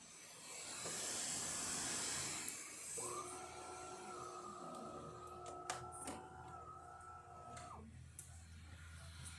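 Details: DeLonghi Eletta espresso machine test shot after full service (water tank sensor replaced to fix descaling): pump runs a steady, even buzzing hum about five seconds then cuts off cleanly; normal healthy pump run.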